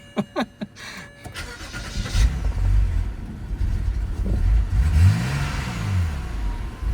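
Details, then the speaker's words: BMW E90 330xi, 140k miles, on startup: starts quickly, then a few throttle blips and an uneven, lumpy low idle that hunts before smoothing out. "Starts pretty good, but runs like crap."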